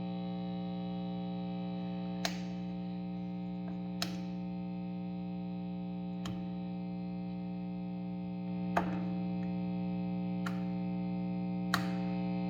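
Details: PRS HDRX 20W amplifier with a constant low, buzzy hum and a few clicks; mains hum, source not found.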